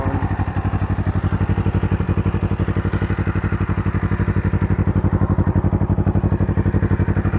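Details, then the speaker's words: Restored 1981 Suzuki GS250 warm after carburetor rebuild, fuel system flush and new plugs and air filter: steady, even low putter at about a thousand rpm idle with no misses or knocks. "Nothing. Sounds good. Idle's very good."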